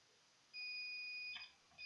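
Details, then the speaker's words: Multimeter continuity beep on Sapphire Nitro Radeon RX570 8GB graphics card: steady high tone, breaks, resumes, showing a short straight to ground near capacitors and fuse; fuse no longer working. "hope you can hear my multimeter speeding making noise i mean there are shorts straight to ground by the other side"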